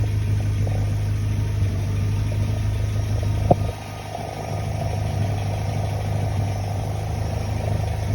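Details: Sierra Cosworth 2wd with its fitted alternator, engine running on new mounts that shake the car. Steady, even low idle with no knocks or belt or alternator squeal. 14 volts at the alternator, so the charging sounds healthy and normal.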